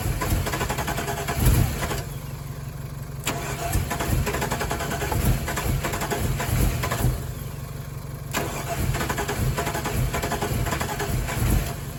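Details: Chevy Colorado after sitting all winter, gas added, retried right after a big backfire. The starter spins the engine in repeated bursts with even, rapid compression pulses, but it never catches; it cranks but won't start, cause unknown.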